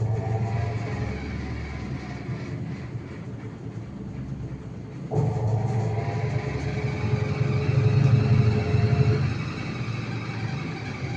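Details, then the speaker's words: IFB washing machine during spin: deep steady rumble with a rhythmic thud about three or four times a second as the drum spins up; something knocking during spin, drum to be removed and checked. "इसमें ये आवाज आती है। Video में देख सकते हैं कैसी आवाज आती है।"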